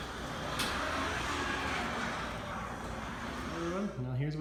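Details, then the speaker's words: Garage door before lubrication: rumbles and rattles as it moves, ending in rising squeaks from dry hinges and rollers. The fix is lubricating the hinges, rollers, springs and bearings. "remember lubricating your door makes it run much smoother so make sure to lubricate your hinges rollers and springs and the berries and everything will sound much better"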